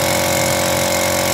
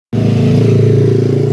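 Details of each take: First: Lakoni air compressor after overhaul replacing the crushed 6003 crankshaft bearing that caused the noise: a loud, steady, even drone with no rumble or knocking, no longer noisy. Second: Air compressor starting up: a loud, rapid, even pounding with a rough, rattly edge, very noisy; the worn crankshaft bearing (type 6003) is the cause of the noise.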